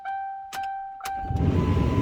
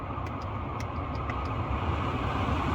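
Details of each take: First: 2009 Lincoln Town Car, key on engine off with HVAC control off: short chime then steady blower fan rush starts immediately and stops at key off; blower never shuts off. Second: 2009 Lincoln Town Car that had its blower running as soon as the key was on, now tested with the AC switched on: even rush of air from the dash fan, smooth with no rattle or squeal; blower operating normally.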